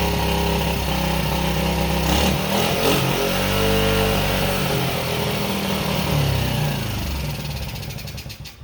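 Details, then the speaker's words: Pit bike with Lifan 110cc engine after carburetor adjustment, still not perfect: rough single revs whose pitch sags only slowly instead of dropping to idle; damaged throttle sticking open holding revs, carburetor still needs tweaking. "This throttle's jacked up, so it kind of sticks. So I don't know if you've noticed that RPM's kicked up. It kind of stayed there, even though I got off the throttle."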